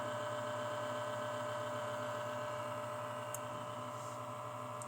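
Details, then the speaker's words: Casper Excalibur G770 laptop cooling fan: steady whirring drone with rough buzzing pulse about four times a second; incompatible replacement fan lubricated with WD-40-type spray is grinding, risks chipset failure; fan replacement is the fix. "tabii ki bu ses kullanıcısını rahatsız etmekte ve cihazın İlerleyen zamanda uzun vadede bilhassa çipset arızasına düşmesine de sebebiyet vermekte uygun olmayan fan takıldığı ve beraberinde de yine uygun olmayan bir spreyle yağlandığı için hal Vaziyet bu"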